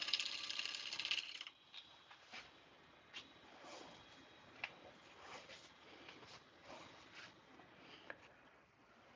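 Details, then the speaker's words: Wood lathe turning a blank not yet round: light irregular ticks, roughly three a second, a "dut" noise as the gouge cuts the outside edge, catching then cutting air across the gap; intermittent cut on an out-of-round blank. "You kind of get that dut noise. So, as I'm cutting this outside edge, you can probably see there's a gap right there. We call that cutting air."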